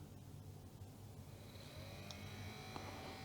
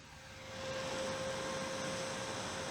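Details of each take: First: Commodore CDTV (Amiga-based CD console) cooling fan, cleaned, tested out of the machine before replacement: steady low rumbling buzz with faint whine, sounds like a little tractor; noisy cooling fan. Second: New replacement cooling fan for Commodore CDTV, tested out of the machine: much quieter than the old fan, soft even airflow hiss with slightly more wind noise, faint steady tone, no rattle; normal fan operation.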